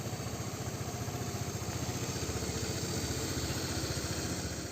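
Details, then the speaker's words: Vespa LX 125 after a service with the CVT cleaned, engine and gear oil changed, and plug and carburetor cleaned. An even putter of about four beats a second; the earlier "klek klek" from the drive belt is gone and it revs easily on the road. Normal idle. "Tadi motor udah kita saksikan bersama-sama, mesin jadinya suaranya halus, dan saya rasakan tadi di jalan juga digas enteng, tidak ada bunyi."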